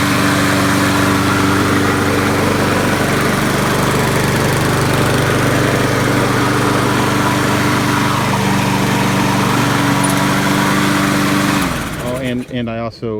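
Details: Poulan 22-inch mower, Kohler 149cc 6.75 engine, final run after oil change to 10W30, replaced wheels, blade and recoil; single-cylinder engine runs steady and even, holds speed cleanly before shutoff; healthy.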